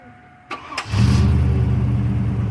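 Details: 2000 Chevrolet 1500 Z71 just after a fuel pump replacement: a short crank, then a clean catch into a strong, steady idle with no stumble.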